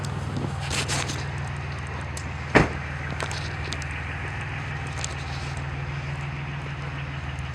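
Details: 1999 Chevy Lumina sedan after its rotted muffler was replaced with a Magnaflow 14325, no tip yet, heard outside at idle: a much lower, clean, not-too-loud quiet rumble with no rasp, rattle or leak. The exhaust is healthy.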